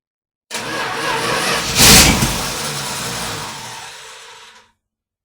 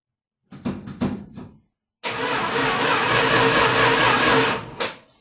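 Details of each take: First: 1978 Dodge Power Wagon, started after an oil change, weak battery with a jump box connected: two strong cranking bursts of about four seconds each, then the engine fires and catches; a normal start. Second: 1978 Dodge Power Wagon starting right after an oil change: a few slow, uneven cranking bursts, then a short steady roar that dies away; starter turns sluggishly, owner suspects a dying battery and needs a jump box.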